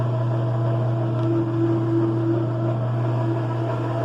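Loud steady low hum with a faint whirring pulse about three times a second, a dryer running far noisier than it should, cause unclear.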